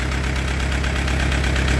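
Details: Allis-Chalmers B tractor, far from restored, bought for a low price, still running: low, steady idle thump with an even beat and no misses or knocks; the engine is idling smoothly.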